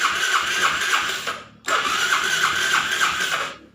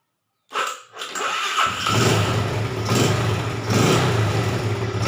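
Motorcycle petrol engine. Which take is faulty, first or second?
first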